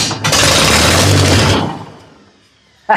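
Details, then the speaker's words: Non-running Massey Ferguson TO30 tractor, about 70 years old, coil hot-wired to battery positive with starting fluid sprayed into the carburetor: barks into life for about a second, runs rough, then dies; fires but won't sustain. "so we're gonna spray a little spicy fuel in on the carburetor perfect see if she wants to bark"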